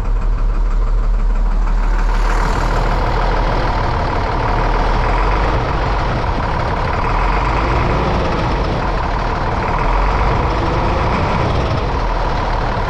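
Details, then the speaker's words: 1998 International 4700 DT466E diesel, formerly a no-start caused by a missing high-pressure oil pump ferry plug check ball, just restarted after the fix: steady, even idle with low regular rumble, no misses or knocks, running smooth; engine warning light still on; normal diesel idle. "and it's it's running smooth right now I've started it twice"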